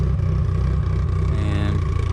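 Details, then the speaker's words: Turbocharged car after cylinder head rebuild, running again: low, steady rumble with an even beat, no knocks, ticks or rattles; first-start fault was an unplugged sensor, now healthy. "what's up guys so I didn't record any more stuff but as you can hear already the car is running"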